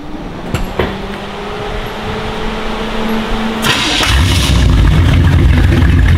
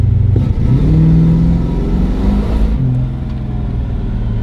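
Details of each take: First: Datsun with a 350 Chevy small-block V8 and HEI distributor, after replacing the ignition coil for hot no-ignition and launch stumble: a click, then it fires almost instantly without the usual cranking and settles into a steady deep idle. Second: Datsun with a 350 Chevy V8 that loses ignition when hot. On a simulated launch from about 1500 rpm, it bogs and drops in pitch before pulling and can stall; cause unclear. Stumble under load.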